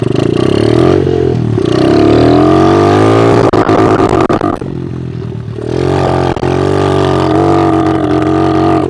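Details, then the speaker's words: Kawasaki KLX110 pit bike after carburetor work, running with no air filter: revs climb, then flatten and fall back without reaching top end; it won't rev out. "yeah it's not one to rev out probably cuz we don't have an air filter on it but it's running a lot better I'll tell you that for free"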